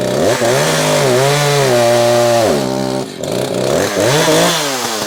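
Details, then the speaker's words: Echo CS-590 chainsaw, high-speed mixture adjustment while cutting: pitch sags and burbles, bogging in the cut instead of screaming clean. High end set too rich, to be leaned a quarter turn right. "Alright, see there, I've got too fat. So the high end, we're going to go to the right, lean her out a quarter."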